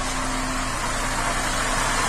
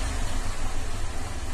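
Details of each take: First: 2007 Cadillac STS 3.6, bank 2 misfire on all cylinders with P0017/P0019 exhaust cam codes, after commanding bank 2 exhaust cam advance to about 20 with scanner: even, steady idle with smooth hiss, no stumble or miss. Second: 2007 Cadillac STS 3.6 with misfire codes P0300/302/304/306 on bank 2 plus exhaust cam correlation codes P0017/P0019, during a scan-tool cam control test; cause unclear (cam timing or plugged exhaust suspected). Low, lumpy, rough idle, misfiring on the whole bank.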